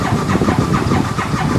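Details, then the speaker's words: 2015 Massimo Militia 1000 UTV with no spark, ECU codes cleared: starter cranks at even rhythm but engine never catches; no-start, crankshaft position sensor suspected. "You can hear it just crank, crank, crank."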